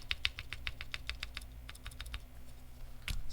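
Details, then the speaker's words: Keyboard stabilizers with mod pieces, not yet broken in: rapid key presses with a sharp, bright tick on each stroke, because the overlong mod pieces clip the housing. "yeah the ticking is the actual material so yeah the the pieces are too long but just proof of concept"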